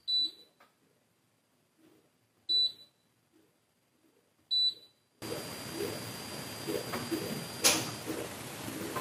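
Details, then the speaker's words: IKEA Tillreda portable induction cooktop heating: three control beeps, then two-stage cooling fan rush rising louder, with a thin steady piercing high-pitched whine on top once heating starts; owner suspects thermistor-controlled power limiting when hot. "the two fan method is interesting so it's quieter for using up to a certain degree that piece is nice and then it does get louder what I really don't like that piercing sound that makes"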